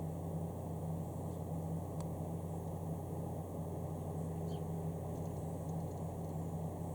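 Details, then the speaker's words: PC case fan on manual speed control, dusted regularly but sometimes grinding and slowing almost to a stop, so its motor is failing, due for replacement with a Corsair AF140. Loud, steady low droning hum: noisy case fan. "makes the fan spin a bit a bit more makes a bit more noise but can you hear that"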